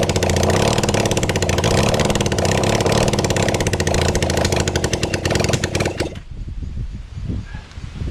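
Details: Kawasaki Zephyr 750 during restoration, carbs and exhaust just fitted: rapid even starter chatter for about six seconds with no firing; turns over but never catches, later found to be out of fuel.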